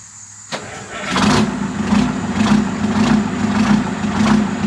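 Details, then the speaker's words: 1973 Diamond Reo truck on test fire after an exhaust and muffler swap: diesel settles into a rough idle with sharp puffing chuffs from exhaust escaping at a joint; exhaust leak. "All right. Well, if I'm being honest, that's disheartening because it leaks enough out of here to bother me."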